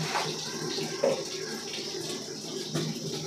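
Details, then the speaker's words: LG 7 kg top-load smart inverter washing machine with an IE error, after the water inlet filter mesh was cleaned and refitted tight: tap turned on, a steady rushing splash of water fills the drum, and the IE error is fixed. "Okay so ಈಗ ನೋಡಿರಿ tap ಏನದ ಅಂದ್ರೆ ನೀವು on ಮಾಡ್ಕೊಂಡ್ಬಿಟ್ಟು ನೋಡ್ರಿ ನೀರು ಹೆಂಗೆ ಬರ್ತಾಯಿದೆ ಒಳಗೆ ನೋಡ್ರಿ ನೀರು ಹೆಂಗೆ"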